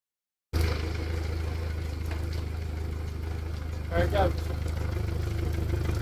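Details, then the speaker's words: 2021 Yamaha VMAX SHO 115 outboard after lower unit reinstall with new impeller, gasket and plate: steady low idle with even beat, water splashing; runs smooth and healthy. "All right, guys, so when you crank it up, you might have to wait a minute for it to start spitting water. Don't assume it ain't working. Let it run for a minute."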